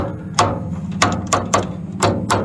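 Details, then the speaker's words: Residential furnace not heating, 24 V control circuit, door switch unplugged: five sharp uneven relay clicks in under three seconds over a low hum, draft motor never starting; likely a failed relay among three on the control board. "notice when we unplug it you can hear the relay and I think you're also hearing the draft motor relay hear that click right there that is most"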